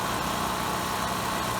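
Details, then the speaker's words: Westinghouse WGen3600 generator with original carburetor at light/no load: engine surges, throttle arm hunting, smoothing to steady speed as choke is partly closed; lean running under partial load. "Now, you can probably hear in the background the engine surging, and if you look up, you can see perhaps the movement of the throttle arm as the engine goes up and down. Now you'll see my hand, I'm gently pushing the choke slightly closed, and the unit smooths"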